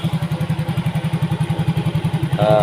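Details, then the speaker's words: Yamaha Mio GT injected scooter, earlier hard-starting and stalling at idle, now with new injector, O2 sensor 0.49 V, idle control 19.0%, 1300 rpm. Steady, even low thumping, no misses or hunting; normal idle. "Jadi responnya sudah enak, motornya stasionernya tidak matian, hidupnya pun enak juga ya."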